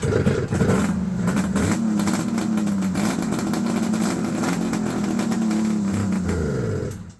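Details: Vintage Ski-Doo triple two-stroke race or mountain-mod sled that had previously caught fire: steady buzzy fast idle for several seconds before dying off; runs strong and even.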